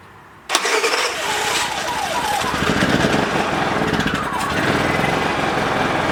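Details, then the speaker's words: Dad's Honda 3000 generator, long unused, started on full choke: catches after a moment and runs with a ragged, uneven exhaust note; it only runs on full choke and the exhaust smells of bad gas, so the stale fuel is to be drained and replaced. "all right so it's running but it's only running on full choke but i smell the exhaust and it's smells so terrible like horrible gas so we're going to drain the rest of that nasty gas out and fill it up with some fresh stuff"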